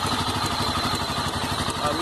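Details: Honda CB 300 at idle: rapid even metallic iron-on-iron clatter appeared suddenly; mechanic says normal, owner unsure of cause.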